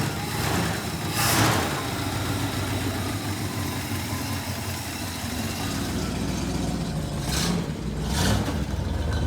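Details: 1967 Plymouth Fury III 383 V8 just started after 15 years with new fuel pump, smoking, probably from burning-off dust: steady loping idle with a couple of short throttle blips; runs cleanly without missing.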